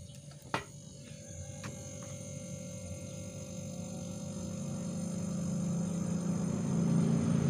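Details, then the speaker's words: Single-door fridge that wasn't cooling though its light worked, after the failed PTC starter relay was found: a click, then a low, fairly loud steady hum settles into an even drone as the compressor starts and runs normally. "kita coba hidupkan kalau memang mesin ini Sudah bisa bekerja lagi Menyala kembali berputar pasti ada suara seperti dengungan yang agak keras"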